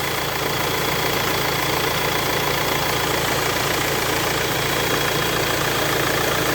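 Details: Renault Espace 4 idling with a newly fitted accessory belt, replaced after the old one failed on the motorway: even, steady idle with no squeal, chirp or rattle from the belt or pulleys. Normal, clean idle after the repair.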